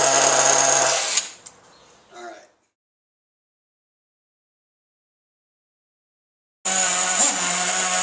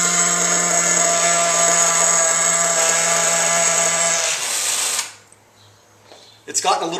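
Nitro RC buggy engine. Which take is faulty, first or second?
second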